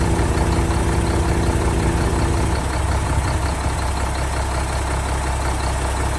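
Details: 1975 Mack FR700 8x4 twin-steer truck, first start in many years after fuel bled to injector ports: steady, even low diesel rumble with regular beat, no knocks or misses, just after catching. Normal diesel idle.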